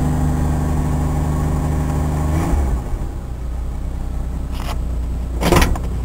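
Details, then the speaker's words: Cheap truck's deep, steady exhaust rumble easing as revs drop, no blow or rasp, at first start after fitting the new muffler and before the tailpipe is added; now much quieter than before; normal exhaust note. "oh yeah I forgot you can obviously hear the difference now it's much more quiet in here now so"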